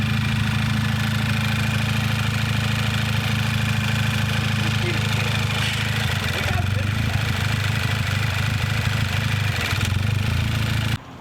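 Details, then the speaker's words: Flood-damaged turbo car at idle: loud rough low rumble with uneven puffing beat; suspected leaking muffler or custom exhaust. "sounds like the muffler's leaking michael there's something either this thing's got a custom exhaust going on or sounds kind of mean though"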